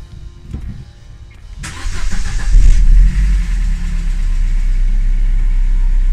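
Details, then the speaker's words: Opel Corsa D 1.4 16V 90 hp Z14XEP petrol, first start after timing chain replacement, having sat about five days: short crank, catches, flares up and settles to an even idle with no chain rattle, only injectors audible. Normal start and idle. "Vous on n'entend pas du tout le timing, on n'entend que les injecteurs"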